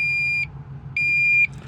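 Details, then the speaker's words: High-pitched half-second beeps repeating about once a second in a fleet truck that won't start: the Smart-Idle system's panic alarm, batteries down to 10 volts after repeated starting problems with the system. "so yeah it's the batteries um as you guys can hear I got all kind of alarms and stuff beeping theu that sound is the Panic is the Panic alarm"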